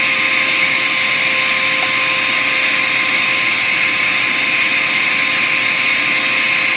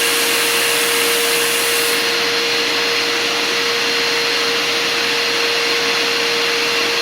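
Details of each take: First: Bissell Powerforce Compact upright vacuum: steady high-pitched motor whine with two fixed tones and a free-spinning hiss, motor spinning up too high with no suction; clogged airflow path. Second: Bissell Powerforce Compact upright vacuum during an airflow test after restoration, still with the dirty old filter. A strong, steady motor whine with constant rushing air, winding down smoothly at switch-off; about 56 CFM, improved. Normal running.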